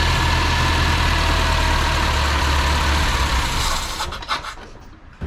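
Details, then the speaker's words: Mitsubishi Sigma with a newly fitted 32/36 Weber, after swapping in another jet because the old one was suspect: steady, fairly even idle with a rough hiss on top before shut-off. Running better, still needs fine tuning. "Alright, that's made a difference, which is really good. So just need some fine tuning by the looks of things."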